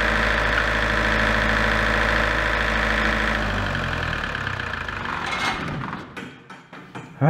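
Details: Large diesel generator set from auction, after repair of its shutdown fault: an even, steady diesel drone with no knocks, then a smooth run-down to a stop. Normal running.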